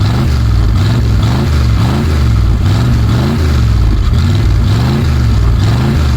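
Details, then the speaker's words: 1965 Dodge A100 van, V8 sat for years, low on fuel and running on what seems to be varnish; manual fuel pressure regulator cranked to max: low, lumpy, wavering idle, runs but rough; rough running on stale fuel. "It's definitely trying to run on low fuel, which is not a good idea, but it's running. Well, it's running off of what seems to be pretty much varnish."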